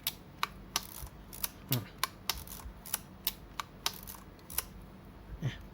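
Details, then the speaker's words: Yashica Electro 35 GSN film camera after its sticking film-advance lever was fixed: crisp, even clicks from the lever stroke and shutter release, firing cleanly; normal advance, and the advance sound is only heard when the shutter button has been pressed fully. "แล้วขึ้นฟิล์มครั้งต่อไปทุกครั้งจะต้องมีเสียงแบบนี้อ่ะถ้าไม่มีเสียงแสดงว่าเรากดไม่จมนะครับ"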